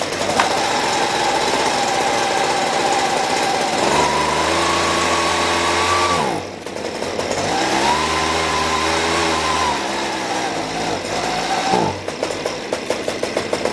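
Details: Husqvarna 125B leaf blower after a carburetor rebuild: high two-stroke buzz climbs and falls with the throttle, stops and restarts cleanly; runs and responds normally.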